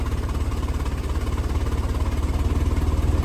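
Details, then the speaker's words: 1923 Ford Model T with electric start, spark timing lever moved at idle: low, loping idle with uneven beats from retarded spark, smoothing into a steadier rhythm once advanced. Rough idle from retarded spark timing. "if I was hand cranking it I would definitely make sure that that timing was on it there you can hear the sound of it when I change the pull the lever"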